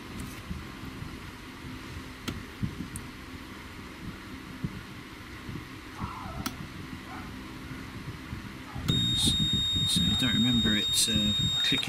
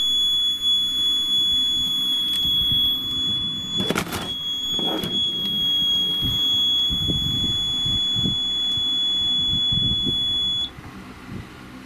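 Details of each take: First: Seaward Europa PAT tester after backup battery replacement for date/time loss: rapid repeating shrill beep, relay check failed with fault code 20, cannot proceed; suspected loosened terminals or dry joints from disassembly. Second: Seaward Europa PAT tester after battery replacement and reassembly: steady high startup tone holds about ten seconds then cuts off cleanly, tester fires up perfectly.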